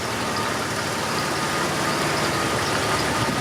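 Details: Jeep XJ (Limited) barn find after oil pump replacement, idling right after restart while warming up, more oil pressure than before: steady even idle with smooth rumble, no knocks, ticks or misses; healthy.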